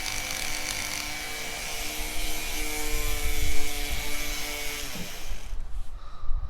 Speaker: but the reality is is that it's not spinning in a perfect circle or even a tight enough Circle to not damage stuff can you hear it it Clickety Clacks a little bit